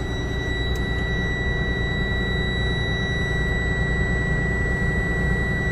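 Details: 2024 Freightliner S2C Grech GM40 bus, started after being run out of air: steady high buzzing tone over a low diesel idle rumble; likely the low-air warning while the compressor builds pressure, not confirmed.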